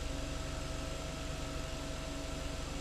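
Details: 2012 Kia Sportage electric brake vacuum pump at idle: even, quiet hum with a soft steady pulse about three times a second; pump running smoothly, normal (pump was replaced after loud buzzing from internal wear).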